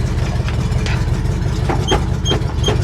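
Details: International Harvester 1000 truck abandoned over eight years, big petrol engine ticking over steadily with an even low beat and no stumbles after the fuel pump came back to life.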